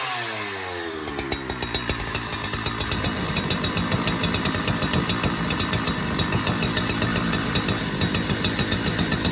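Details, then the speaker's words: Donated 2005 Husqvarna 372XP chainsaw, said to have run poorly, fitted with replacement muffler and bolts, on non-ethanol premix: after brief start-up it keeps firing in a steady, slightly ragged rhythm; runs and oils, still untuned. "so she works oh she runs anyways she oils"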